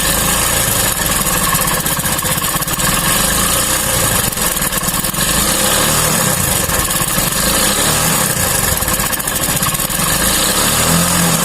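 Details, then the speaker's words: Hero single-cylinder bike with a new timing chain idling steadily after a few minutes' running lets oil reach the chain; the noise changed, leaving a slight rattle from the cap above the timing chain, which adjusting should fix. "अब ये थोड़ा बहुत आवाज़ है, ये टाइमिंग चैन के ऊपर की टोपी का है, जो इसको सेट कर देने के बाद ये सही हो जाएगा।"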